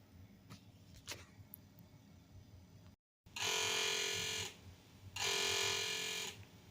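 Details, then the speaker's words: Bell & Howell Apple II Plus clone, floppy drive reading the other side of the disk: two harsh high-pitched buzzing bursts about a second each, no clean stepping; drive seeks abnormally and fails to load, cause unknown. "that's not a good sound well that didn't turn out nearly as well as I wanted it to"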